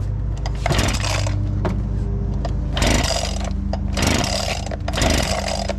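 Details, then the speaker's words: Abandoned small two-stroke leaf blower, fuel primed, on cold start: it buzzes unevenly, surging and sagging, running rough but slowly improving. A spark issue is suspected, and the throttle seemed to open by itself. "now I think we're having a spark issue sounds like it's getting better though oh yeah it's getting better but not that much"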